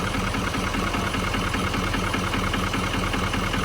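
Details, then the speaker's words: Wrecked L5P Duramax diesel with a bent frame, idling after a jump start with a regular tap about 2.5 times a second; a possible knock, and a lack of boost was also suspected. Cause unconfirmed. "I don't believe It sounds like a knock to me. It sounds like it's knocked."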